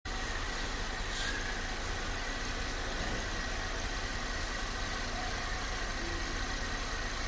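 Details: VW Polo 6 TSI small turbo petrol at a quiet idle: light, uneven metallic rattle said to come from inside the engine at the timing side, timing chain noise.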